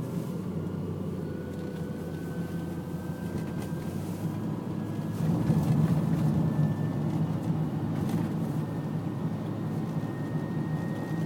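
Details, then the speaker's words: 2002 Honda Odyssey driven at night after a $3,000 transmission repair: rough, gravelly grinding under road rumble while accelerating, faint tone climbing with speed; same grinding noise as before the repair. "go in a drive right now you can hear this grinding noise same as before repairing"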